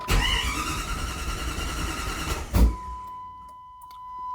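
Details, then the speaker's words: 1997 Jeep Grand Cherokee ZJ 5.2L V8, first start after head gasket replacement and top-end rebuild, fuel primed: even, steady cranking for about two and a half seconds, stops without a single firing; turns over fine but cranks and won't start. "It's two cranks of nothing. Just check. She's turning over. She's sounding good."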